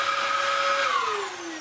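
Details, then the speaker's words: Dyson DC07 from a free job lot, first switch-on before refurbishment: clean, steady high motor howl typical of a decent DC07, winding down smoothly in pitch; healthy motor. "That's even got the nice howl that a decent Dyson DC07 does."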